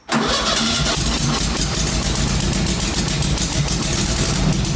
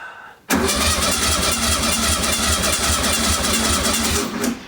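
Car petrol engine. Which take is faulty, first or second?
first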